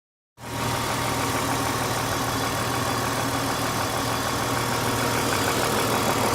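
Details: Steady idle with fast light tapping, three or four per second; oil checked just before recording and filled to max line; owner suspects lifter tick, not confirmed.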